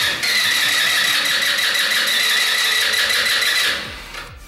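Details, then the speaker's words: MB RX-150 scooter, 150 psi compression, owner reports intermittent stalling while riding and slow starting; starter spins the engine fast and evenly for several seconds without catching, crank-no-start, spark to be checked next. "como que quiso arrancar ahí y siento que si la aceleró como que se iba a arrancar y ya que no está arrancando quiero esa chispa"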